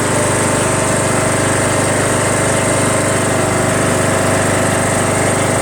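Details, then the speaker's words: Craftsman LTS1500 lawn tractor repowered with a rebuilt 17.5 HP Briggs OHV single, with pushrods corrected, valve lash redone and new fuel lines, filter and tank. While driving it thumps at a fast, even, strong beat with no misses or knocks, pulling cleanly. "pretty happy this thing runs and drives great"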